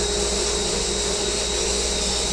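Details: Blast cabinet with added dust collector running during blasting: steady even motor hum with constant airy whine, no rattles or speed changes, fairly quiet; dust collector working normally.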